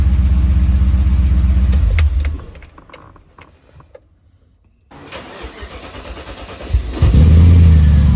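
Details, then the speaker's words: BMW E30 325 with an M60 V8 swap, back from years of storage. Restarted after a pulley that had been grinding against a heat-shielded hose was moved. A smooth deep idle, a brief gap, then an even rising rev with no grinding. Runs normally and smoother. "So let's just start it again and hopefully it runs better. A lot smoother now. Yeah, I think it's good."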